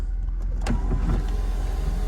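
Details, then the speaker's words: Sunroof test on a used car at a dealer-only auction, engine idling while warming up on a 19-degree morning: smooth, steady electric motor hum with no catches or grinding; sunroof works normally. "This might be a winner. All right. Let's test our sunroof here."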